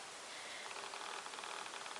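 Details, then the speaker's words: Super Cub LP RC plane: with ACT switched on, a faint, rapid, steady servo ticking runs continuously over a quiet hiss; it is silent with ACT off. "Can you hear that ticking away? There you go. Just keeps ticking and ticking and ticking, and it gets very irritating. And it'll just keep doing that for ages."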